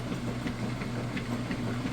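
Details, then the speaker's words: Kenmore direct-drive top-load washer on ultra clean, full water level with clothes: low, even motor hum with a soft steady churn as agitation begins, no knocking or grinding; normal agitation. "so as you can see it's getting started agitating doing a great job sucking those clothes down in along the fins and then back up the side so it does this vortexing rotation"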